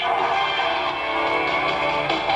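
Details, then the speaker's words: Zenith console 8-S-451 tube radio after repair, before mounting a new transformer permanently: music and AM sports broadcast play steady and clear with no hum, crackle or fading; normal playback. "Well, as you can hear, it plays pretty good now."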